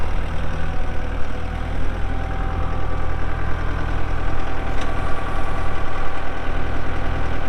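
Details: 2012 Kubota M8560 85HP 4WD cab tractor with loader, only 381 hours: deep, steady diesel rumble at idle with an even firing beat and no knock or rattle; normal, healthy idle.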